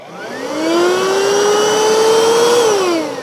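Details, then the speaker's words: Cleaner with trigger and continuous modes, reasonable suction: motor spins up to a clean steady whine and winds down smoothly, no grinding or rattle; sounds good, nothing broken, would perform as new with a new filter. "I think with a brand new filter in there, it would perform as new. It sounds good. Nothing's broken."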